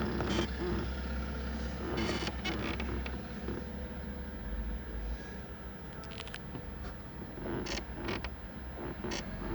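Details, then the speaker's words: 2011 Kia Sportage SL driving over bumps with the sunroof closed: over the road rumble, short irregular creaks come with each bump in a quiet cabin; the creak goes away when the sunroof is opened; sunroof creak. "вот он наш люк значит он скрипит постоянно во время движения на малейший кочки на любом каком-то бугорки я постоянно противный скрип"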